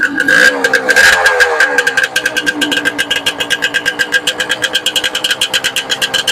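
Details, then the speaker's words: Yamaha two-stroke motorcycle after piston and ring installation: a few blips, then a quick, even popping idle with crisp exhaust note. Normal idle after rebuild. "तो जनाब जमा start कर दिया हमने, जमा तो ठीक हो गया।"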